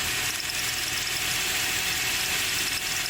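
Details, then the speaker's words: 2004 Toyota Tacoma SR5, 4-cylinder 3RZ-FE, idling after drive belts were shredded: hissy, uneven, high-pitched scraping chatter. Water pump pulley runs steady, but the rearmost pulley nearest the engine wobbles badly; failing harmonic balancer. "and I think our problem is there I'm correct the very back the fully the closest to the engine is completely wobbling"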